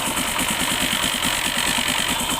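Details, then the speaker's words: Hero Honda CD 100 SS single after new cylinder block kit and timing chain: light rapid rattling clicks over the idle from the kick-start ratchet, as the kick shaft timing was not aligned by a previous rebuild; fix by resetting kick timing under clutch cover. "तो इससे मैं ये पता चल रहा है कि किक का जो टाइमिंग है वो उन्होंने नहीं मिलाया।"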